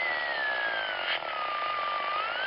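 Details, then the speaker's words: Mobile HF radio receiver picking up vehicle radio frequency interference: a steady hiss with a whistle that slowly drifts down and climbs again, several noise sources mixed together; bonding is advised first and some RFI cannot be abated. "in short it often takes time to run down the rfi source sometimes it takes a lot of work to abate it and once in a while you can't abate it no matter what"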